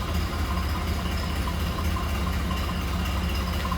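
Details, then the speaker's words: 1929 Ford Model A Roadster four-cylinder idling indoors, started without choke, in neutral, heard from the rear: steady even low putter, soft regular beat, no knocking or missing; normal smooth idle. "Love the classic sound of these Model A's."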